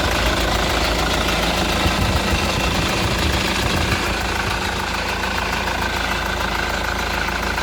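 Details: Honda Accord CN1 2.2 i-CTDi diesel at idle: steady idle with an uneven, rough ticking clatter at about three beats per second; abnormal engine noise, source not pinned down.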